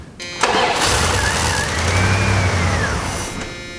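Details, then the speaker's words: 1990 Dodge Ramcharger starts, runs roughly about two seconds then dies; clogged fuel return line lets fuel pressure build until injectors are overwhelmed and can't open and close; previous owner gave up after many parts. "it starts up for a few seconds and the pressure becomes so great after about 2 seconds that the computer controlling the injectors the injectors are so overwhelmed they can't even open and close and do their job"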